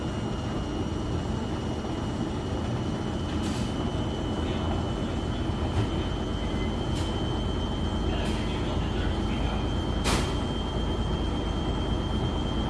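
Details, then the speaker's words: Drum rumble with a thin high whine and sharp knocks from a Beko WS832425s washing machine labouring on its first intermediate spin with a bulk load; unbalanced with suds lock, and excess suds are likely to force a redo. "washing machine is on its first intermediate spin what I said was right it is very unbalanced though"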